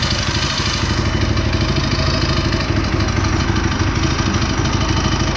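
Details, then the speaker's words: Go-kart small single-cylinder engine, fitted with a torque converter, just started after running two hours earlier: runs on choke with a steady, fast rattling putter and no misses; choke briefly turned off too soon, then back on. Normal running. "So there we go, running. Oh, I turned the choke off too soon. Dang it. All right, I'll turn the choke back on."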